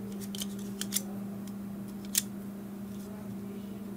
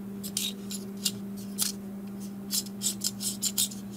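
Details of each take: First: Dell Latitude E6420 laptop fan after removing a broken plastic piece from inside: steady even hum, no rattle or scraping, few handling clicks; now running normally. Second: Dell Latitude E6420 laptop fan: steady hum with irregular sharp plastic ticks and scrapes every few tenths of a second; a broken plastic piece was found inside the fan, blades intact, noise not normal.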